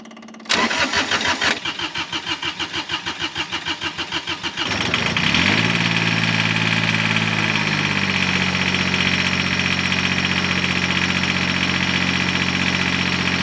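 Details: Cub Cadet 1512 tractor with Kubota D600 diesel after upgrade from original direct-drive starter to a gear-reduction starter; steady cranking about three chugs a second for four seconds, then catches into an even idle: normal start.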